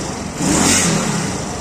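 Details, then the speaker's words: Zanella 110 cc Cub motorcycle after new Helux carburetor fitted: clean throttle blips rising and falling smoothly, no stumble; the earlier acceleration fault is gone. "Como ya la probé, unas buenas aceleradas que antes tenía una falla, ahora no la tiene más."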